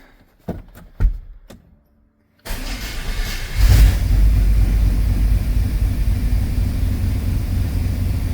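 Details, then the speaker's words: GMT400 OBS Chevy truck after tying the fan away from the shroud it was hitting; starter clicks, then it starts and settles to a steady, even idle with no front rattle; oil pressure still low, smells of gas, exhaust holed. "That sounds much better. Oil pressure still sucks. Smells like gas. But it is running."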